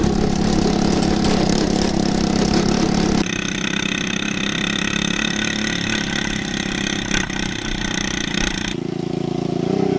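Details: Yerf Dog 150cc shifter kart on test drive across a field: revs unevenly with thin hunting raspy note; running lean.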